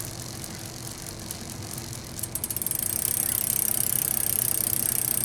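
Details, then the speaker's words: Bicycle derailleur jockey wheels after servicing with regreased, warmed bearings: freely spun crank gives a quiet, even run with a light, regular chain tick over the jockey wheels. Smooth, low friction and healthy. "It also helps you ride a little bit easier, because if anything's squeaking, or you can hear how quiet that is, you just hear the clack of the chain hitting the jockey wheels there. And nice, free, smooth, very little friction in this system."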